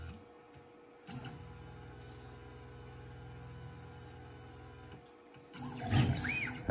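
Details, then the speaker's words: Onefinity CNC running probe XYZ with a quarter-inch bit, starting from the back right corner: quiet hum, then a few seconds of slow, steady stepper buzz as the axis comes down to probe Z zero first; normal probe sequence. "so we'll go ahead and hit set and it's going to come down and it's going to probe for zero first"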